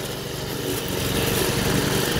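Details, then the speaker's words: Toro 53 SP commercial self-propelled mower (owner thinks it has a Suzuki engine) after refitting a drive belt that had slipped off the clutch; gears and reverse work; steady buzzing drone, no misses or knocks. Normal running. "all the gears work everything is working good on it always has"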